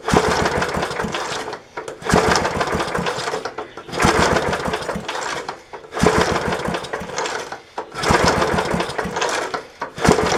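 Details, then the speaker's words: 1966 Briggs & Stratton lawnmower engine, long unrun, spark restored, premix poured in carburetor: rough pull-start bursts every two seconds without catching; fallen handle pulled the cable and grounded out the ignition, so it won't start. "so when the handle fell down it uh pulled the cable over and shut it off so it was grounding out that's why we weren't getting it started here"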